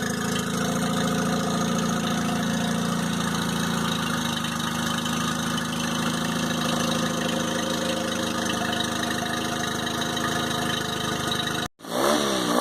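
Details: 2002 Mercury 15hp four-stroke outboard, first start after storage and a lower-unit fluid change, on earmuffs in neutral while warming up: a smooth, even idle with a steady low drone, no knocks or misses. Running cleanly; normal idle.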